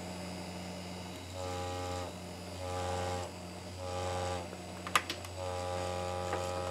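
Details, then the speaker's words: Old SCSI hard drive running on Amiga 3000 for data recovery: low steady hum swelling and fading every second with buzzy rattle, severe vibration; suspected severe head crash. "what in the hell is it vibrating on I don't know it's really bad vibration not good"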